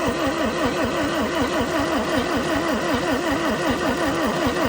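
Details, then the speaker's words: 1964–67 Toyota Stout 3R four-cylinder, sitting since 1984, cranking after the points were cleaned and spark obtained, with fuel down the intake. The cranking rises and falls about 1.5 times per second and a few firings catch without running: engine firing briefly during cranking. "Oh yeah, she's barking."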